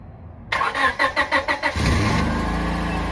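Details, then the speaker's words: 1996 Honda Civic started and idling. Short cranking, then an even idle with a faint puffing tick underneath from an exhaust leak. "it's got the exhaust under there it doesn't sound too bad but you can definitely hear the exhaust leak"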